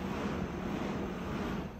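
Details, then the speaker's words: Bowflex Max Trainer M6 after the creaking pedal arm wheel was removed, flipped 180 degrees and refitted: only a soft even low rumble as pedals cycle, no squeak, rub or knock; normal quiet operation. "so no noisy at all you know it looks like it's brand new so i don't think you know maybe maybe people some people tried this silicone lubricant and the mineral oil it's it's working but sometimes i think it's a mechanical problem here"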